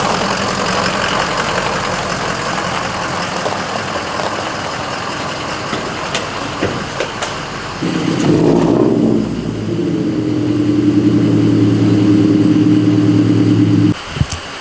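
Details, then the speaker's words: Lexus LS400 with freshly fitted header and full aftermarket exhaust: deep, raspy drone with a steady pulse at idle, far louder than stock. "okay calm down a little bit holy [ __ ] that sounds [ __ ] horrible"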